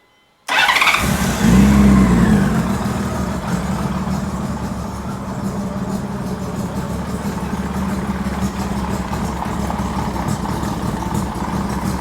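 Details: 2000 Honda GL1500C Valkyrie, not supercharged, with decked, higher-compression engine and open stacks with crossover pipe, poorly running since: starts cold without choke, revs, then an even but thin, hollow idle with backfire from left exhaust; consistent with running lean.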